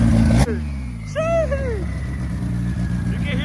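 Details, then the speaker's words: 1995 Honda Civic coupe with turbo B20, first boosted startup, warming up: lumpy idle with a clear turbo whistle rising and falling with revs; turbo spooling normally, no oil or vacuum leaks. "so if you guys can hear the turbo spooling there's absolutely no leaks no oil leaks the vacuum lines are all done the turbo is working the turbo is spooling"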